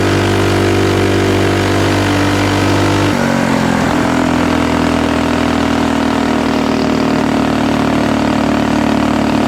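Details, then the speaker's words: Axis M200 mini bike, 196cc single, Mikuni VM22, exhaust and governor delete, ridden to about 30 mph, chest-mounted camera: steady note then stumbles as revs climb; cuts out at mid-high rpm, 120 main jet considered. "And uh it definitely feels like it is just cutting out at uh mid to higher RPM, so we may end up just going ahead and putting that 120 jet in there."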